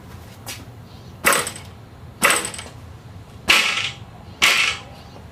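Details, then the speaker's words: StreetStrider, two new units dropped in turn: sharp metallic clacks with a brief trailing rattle from the loose spacer in pedal joint #3. The fix is filling the space between the spacer and pedal spindle with grease. "I'm going to show you the difference in the rattle of that little spacer in the in the joint number three if I list this one and drop it very little sound lift this one listen to the difference do it"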